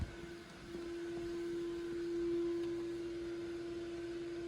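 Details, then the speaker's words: Central vacuum motor after vacuuming the entire house. Steady mid-pitched hum, quieter once the hose is sealed, but the motor does not sound good. Owner suspects a bearing going bad. "it actually is quieter oh that motor does not sound very good"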